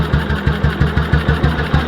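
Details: 1958 BSA C12 single after misfire fix: steady thumping idle, about four even beats a second with no skips or stumbles; normal idle, runs as it used to.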